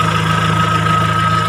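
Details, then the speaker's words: Kia Sephia/Timor DOHC fuel-injected engine after CO potentiometer raised from too lean until the engine sounds normal, most economical setting: smooth, even idle with steady low hum, no misses, knocks or hunting; normal idle. "Nah, setelah ini kita tinggal menaikkan hanya sampai suara mesin terdengar normal."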